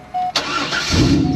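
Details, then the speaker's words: 1997 Chevrolet Corvette hatchback, LS1 engine, 246,000 miles: quick crank, then catches cleanly and settles into a smooth, even idle with no ticking or knocking; normal start and idle. "oh God that LS1 engine listen to that baby Roar no ticking no knocking 246,000 Mi and it's still running"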